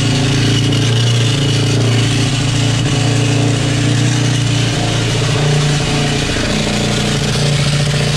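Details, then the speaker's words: 2010 Honda CRF 450 motorcycle run without oil by previous owner: loud, rough, uneven clatter over fast steady idle at start; source unclear, owner suspects crankshaft, bearing or timing chain; abnormal engine noise. "Aïe aïe aïe. Je sais pas d'où il vient le bruit, mais pète les oreilles."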